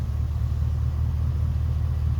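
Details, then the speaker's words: LS-swapped Chevy square body truck, junk motor and transmission, sat about 3 years: deep steady low rumble at idle with even beat, no knocks or misses; runs good despite sitting. "It runs good, especially for been sitting for the past 3 years anyway."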